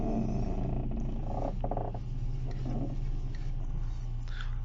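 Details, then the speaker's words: Audi 80 with a creak when turning the steering wheel, mainly to the left, from the driver-side spring area: groaning, growl-like creaks over a low engine hum, worsening over time. "появился скрипт причем при повороте в основном налево направо как бы мало а вот налево"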